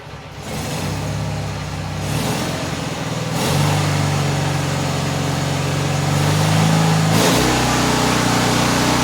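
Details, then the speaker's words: Engine ("old mag") cold-started: even single-cylinder beat that climbs cleanly in pitch when revved and settles back; low-key sound when cold, said to change once warm; sounds healthy. "you'll hear it when it actually throws up a little bit so when it's cold it's got that like a kind of low-key kind of sound after it warms up it sounds a little different"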